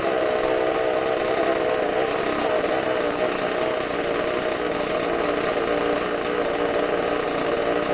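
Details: Bench test of a supercharged McCulloch two-stroke chainsaw engine, carb cleaned and new gaskets, running off tank fuel: screaming note held flat out, steady pitch, no stumbling or dropouts; sounds fantastic, running strong and clean, uses fuel fast.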